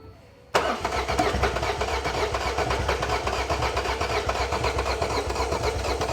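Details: Ford Fiesta (2015) 1.5/1.6 TDCi diesel cranks steadily at about four beats a second but never fires after freezing at -10°C; fault code P0340, injector current trace shows events at TDC but little in between; crank no start.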